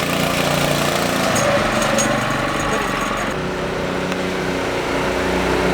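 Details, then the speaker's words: Homemade go-kart running for the first time since March; the small engine revs hard with a rough, uneven rattle and a sudden change in tone. The drive chain is too loose, and the axle torques in turns so the chain jumps off the sprocket. "Alright, so the problem we're having is, yet again, the chain is coming off. So, it's too loose."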